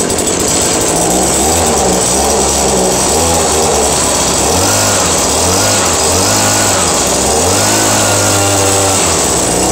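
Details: New Echo PV-2620 handheld two-stroke leaf blower running normally; high buzzy note rises and falls smoothly with each throttle blip, no bogging.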